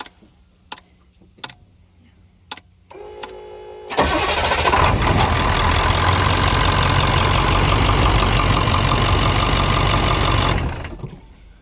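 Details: 2000 International 4700 truck after a temporary clamped ground was added to fix an electrical no-start: brief crank, then it fires and settles into a steady, even idle for several seconds before shutting off; normal start and idle.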